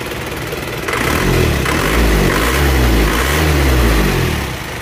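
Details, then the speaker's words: Warm engine with heavy blow-by from worn piston rings and liners, thick smoke blowing out: rough, chuffing run swelling with each throttle blip and falling back to a lumpy idle; liners and water passages damaged, before rebuild. "jadi mesin hangat ini sudah menyembur seperti ini tebal asapnya"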